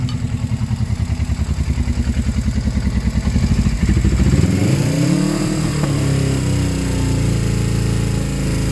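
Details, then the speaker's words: Suzuki GS500 with slip-on exhaust, warm after six to eight minutes running: lumpy uneven idle, then a rev that rises and settles; runs happily only on choke, owner suspects lean and plans a bigger jet and needle adjustment. "will bothers me is when I put the choke on the bikes happy now a good running bike will be unhappy when it's will with the choke on"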